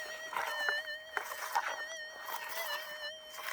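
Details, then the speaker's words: Minelab SDC2300 metal detector in the goldfield, before passing over a small target. A steady, slightly wavering mid-pitched threshold hum with no target breaks; normal threshold hum. "all right there's the stc you can hear it humming doing its thing now"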